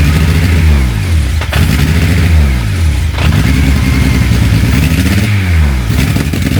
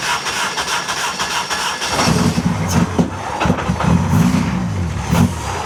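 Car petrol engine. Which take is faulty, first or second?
first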